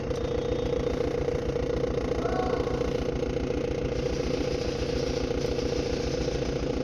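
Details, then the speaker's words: 2013 Maruti Dzire diesel idling with a lumpy, shaky chuffing beat of about 3.5 pulses per second; injector 1 misfire, MIL on, code P0201 injector circuit open, and it comes back after clearing. "आम गोटे डिजार आसी diesel 2013 मसीह डिजेलटा गाड़ी missing हो गाड़ी start करेंगे। Missing हो MIL पलि आस"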